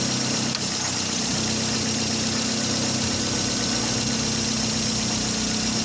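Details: Toyota Vios being checked for hard starting via the fuel pressure regulator check valve: the engine settles into a steady, even idle with no misses or knocks under a hissy background; it sounds healthy.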